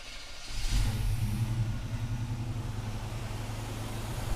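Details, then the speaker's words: 1983 Chevy pickup after carburetor-to-throttle-body fuel injection conversion, distributor reinstalled, first start before warm-up and timing set: catches and settles into steady low rumble, no misses; distributor roughly right. "I must have got something right. I must have got the distributor in fairly close."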